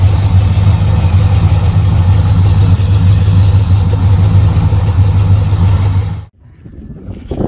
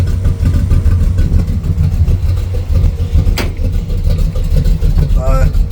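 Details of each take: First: Camaro V8 with a newly fitted Edelbrock carburetor on a base tune: deep, loping burble at a slow, even idle around 700 rpm, no knocks or stumbles; healthy, well-settled idle. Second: Carburetor (a 600 built for a Ford truck) test-run on a carbureted V8 car that normally idles at 950 to 1,000 rpm, idle set way down to 500 rpm: deep, lumpy, uneven idle with slow beats, sounding pitiful.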